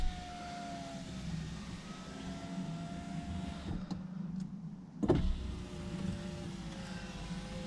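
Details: Saab 9-5 front passenger power window before silicone lubrication: motor hums with sagging, uneven, labouring pitch as the glass drags in dry channels; sticking window.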